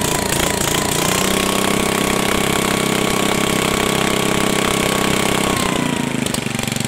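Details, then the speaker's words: 1974 Sears rototiller small engine, just restored to running after choke rod fix, throttle worked by hand; steady high-pitched drone above normal speed without hunting; tachometer check shows governor set too fast, to be slowed down. "now put my tachometer on there and we'll make sure it's running at the right speed it sounds like it's run a little fast"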